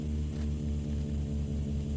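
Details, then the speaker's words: 1998/99 Toyota with a hard-wired aftermarket stereo, engine running: a loud low droning hum pulses about four times a second through the speakers; owner suspects feedback because none of the speakers are grounded. "Oh, sounds like crap. So I'm getting noise. None of the speakers are grounded, so I'm getting feedback."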